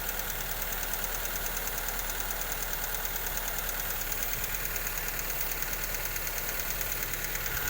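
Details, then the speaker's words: Honda Civic FB after replacing faulty fuel injectors (set of 4): smooth, even idle with no stumbles or misses and normal exhaust sound. Normal idle; the earlier stumbling is gone after the injector replacement. "ครับเสียงท่อก็ปกติดีนะครับหลังจากเปลี่ยนหัวฉีดแล้วเครื่องไม่สะดุดแล้วนะ"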